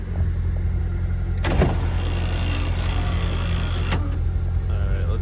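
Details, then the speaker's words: Honda Civic moon roof, possibly replaced before: a low steady motor hum with rough, rattly grinding as the roof travels, "like marbles inside", before greasing. Sunroof grinding noise, cause unconfirmed. "And then I'm going to [ __ ] grease the inside really quick cuz it sounds like marbles in the inside."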